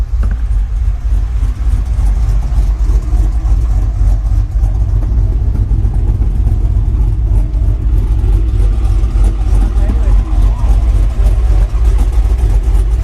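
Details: Chevy Silverado on first start after a 6.0 V8 swap, 10-minute break-in, still untuned; heard from the exhaust, a deep lumpy burble swelling and sagging about twice a second, dying unless held with light throttle, a rough surging idle.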